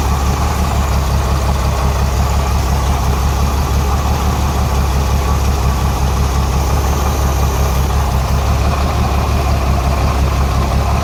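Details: Renix Jeep Cherokee inline-six at idle: low, lopey, uneven pulse with a steady stumble from a cylinder 6 misfire, traced to an overtightened exhaust valve rocker; backing off the rocker bolt later stopped the miss but left a valve tick.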